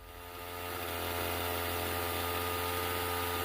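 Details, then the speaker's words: Stihl MS391 chainsaw before repair: revs climb, then hang at a high steady buzz instead of returning to idle, a hanging idle; the throttle shaft was sticking and the carburetor dirty with gel crystals. "all right this thing's obviously got an issue so it ain't getting tuned out of it out here we'll take it back in the garage and start digging into it"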